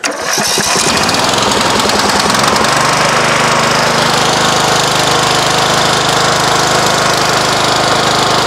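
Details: Craftsman LT1000 riding mower single-cylinder engine, valve cover refitted with old gasket: cranks, catches in about three seconds, settles to a steady even run with no knock. Smoke is from oil spilled on the exhaust earlier. Normal start and idle.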